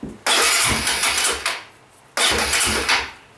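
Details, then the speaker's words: Pressure washer small engine, cold on a cool day, starts, then given throttle without choke; races raggedly about a second, sags and dies; stumbles on throttle when cold, runs fine on choke, owner suspects it dislikes extra air. "Give it a bit of gas, it doesn't like that at all. Which is weird, because essentially I'm giving it gas is basically like giving it choke, but choke it seems to, I don't know, starts up and runs fine."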